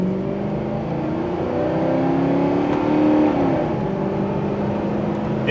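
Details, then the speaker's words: 2000 Ford Crown Victoria at full throttle on a road test after repair, check engine light still on: engine pulls up smoothly with a rising tone and no stumbles, misfire gone. "it's not missing anymore although this thing's just a rough pile of guts but the good news is at least the ac works"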